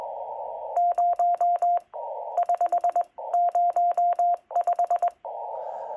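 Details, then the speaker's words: FTX1 radio operating CW: steady mid-pitched Morse sidetone keying on and off with a sharp click at each start and stop; clicking on CW tone, other radios don't do this. "All right. I don't know how well you're going to hear it on YouTube, but there is a clicking in association with just a CW tone. It's mildly annoying. Um, other radios don't do this."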